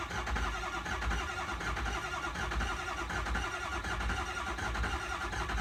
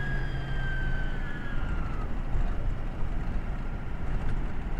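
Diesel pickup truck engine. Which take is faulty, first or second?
second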